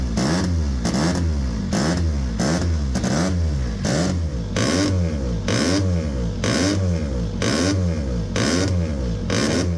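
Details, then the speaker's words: 1972 DKW W2000 rotary-engined race bike with custom ejector exhaust and a silencer fitted for testing: lumpy, uneven blatting at low revs, roughly once a second, rising and falling; sounds rough but is normal rotary character. "You might think that's sounding off like it's running a bit rough, but honestly that's what all Rotaries sound like. They just come onto the power at a mad rev range"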